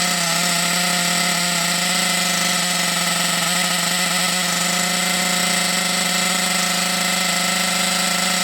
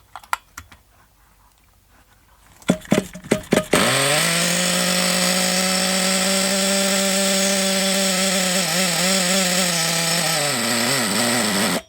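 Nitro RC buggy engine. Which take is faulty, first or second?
first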